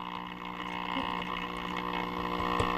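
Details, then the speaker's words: Unbranded tube radio, said to be recapped but not playing, mid-repair with volume now louder: steady low hum under faint crackle; cause unknown, owner suspects the output tube developing a heater-to-cathode short. "As you can tell, our volume is louder now, but we still got some hum there that I don't know why we have that, unless this output tube is developing a heater to cathode short."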